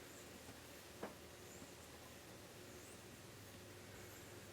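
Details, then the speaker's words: Copper-finish Modern Fan Co. Industry ceiling fan on low speed, with faint high chirpy squeaks about every second over a soft hum. The cause is suspected to be leftover balloon material stuck inside the housing. "I definitely hear a little bit of Stack balloon in there you can hear it"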